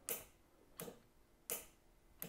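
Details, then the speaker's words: Nitrous Express setup, engine off with ignition on, purge solenoid tested: four crisp, sharp clicks about two-thirds of a second apart in a quiet room, snapping in and out properly; normal solenoid click. "sounds good there now for the nitrous solenoid there goes there kicked off"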